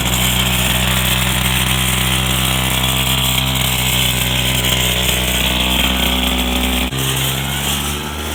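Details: Go-kart small single running after fitting a new carburetor and intake manifold: buzzy, fast and steady at constant pitch, easing slightly near the end; healthy and even.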